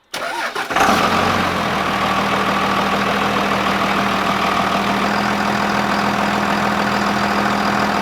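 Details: 2nd-gen 24-valve Cummins diesel pickup, first start after water pump replacement: cranks briefly, fires at once and settles into steady, even diesel clatter at idle with no knocks or squeals; healthy.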